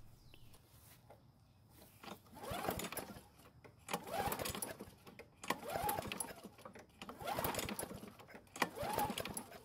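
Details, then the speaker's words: Poulan Pro mower that ran out of gas, was refilled and ran only a few seconds; half a tank with no water, primer bulb working. Five pull-cord strokes about 1.5 s apart, each a brief whir with no firing. Cranks but won't start; spark check is next. "unfortunately the engine did not start but we already knew that what we did figure out is that it didn't even try and start"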